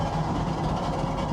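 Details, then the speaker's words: 2015 Ford F250 salvage supposed flood car, first drive, shifted into second gear: continuous rough scraping and rumble underneath, steady with road speed; owner suspects dragging exhaust or smoked bearings, unconfirmed. "maybe it's dragging the exhaust on the ground. It might be doing that. I hear something dragging."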